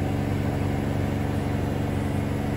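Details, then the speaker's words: Bosch Serie 4 washing machine in final full-speed spin (max 1400) near the end of the cycle: even, steady low hum with no thumping, scraping or rattle; very quiet, normal spin. "yeah it's a very very quiet machine and that only goes into the absolute spinning like this for the last of the four or five minutes"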